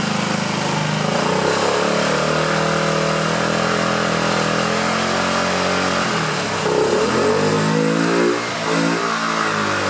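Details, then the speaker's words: 2009 Honda Metropolitan scooter with owner-fitted new carburetor, after carb cleaner sprayed into the intake; revs surge and sag instead of holding steady; rough running, suspected carburetor clog, not yet fixed. "That sure sounded like it was helping, didn't it? We're close, not quite there."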